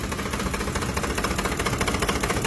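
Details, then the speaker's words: Hot idle, 2005 Ford Expedition 5.4L Triton V8. Oil pressure is 25 psi in park and drops to 18 psi when shifted into gear. The engine then shakes with a fast knock, rattles and misfires. It is judged to need engine replacement. "Oil pressure just dropped down to 18. Now the engine is shaking and rattling and misfiring,"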